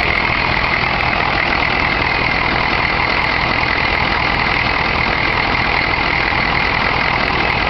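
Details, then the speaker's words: 1993 Chevy diesel pickup idling steadily with an even clatter and no miss or stumble after replacing a broken valve spring that caused a miss and rough idle; about 2,000 miles driven since repair. "smooth his butter runs great so there was just a valve spring broken valve spring and surprisingly that took care of it"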